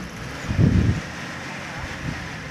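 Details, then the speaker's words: Toyota Corona with ignition points, after new spark plugs fitted for a misfiring, shaking, fuel-thirsty engine: low fairly even idle with one brief louder lump; misfire and vibration reduced, nearly no shaking. "Ternyata untuk pincangnya atau getarnya berkurang teman-teman ya. Ternyata berkurang. Dan sepertinya hampir tidak bergetar ini teman-teman ya."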